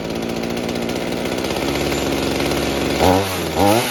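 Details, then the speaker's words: Mini two-stroke chainsaw after carburettor adjustment (low side opened, rich high side turned down): settles to an even idle, two quick throttle blips rise and drop cleanly; normal idle. "Okay, that sounds quite good now, except of course that the change makes very..."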